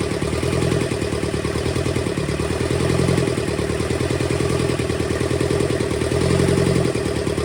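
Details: Rebuilt Kubota V2203 diesel from a Bobcat 7753 skid steer, running: steady clatter at a fast even idle, regular firing, no misses; injector leaks, injection pump top needs resealing, valves not yet adjusted.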